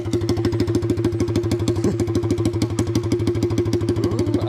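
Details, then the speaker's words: '82 Honda Z50 with a brand-new swapped-in Lifan 125cc 4-speed single, muffler removed: loud, raw, rapid even popping from the open exhaust at about three beats a second. Normal running without muffler. "let me remove the muffler real fast there we go that sounds more like it [Music] with the muffler off of it and revving it up which i was able to do off camera"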